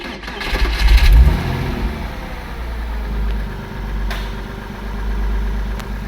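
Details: Porsche 986 Boxster after IMS bearing replacement and other parts, battery old and due for replacement, no engine light: quick crank and catch, a brief rev flare, then a smooth, steady low idle with no misses; runs much smoother than before.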